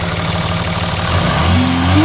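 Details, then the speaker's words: Diesel truck with a turbo replaced 12,000 miles earlier: as revs rise, a rising whine climbs over the engine note; turbo has completely failed, possibly install error or part failure. "This turbo was replaced by us 12,000 mi ago. Noisy."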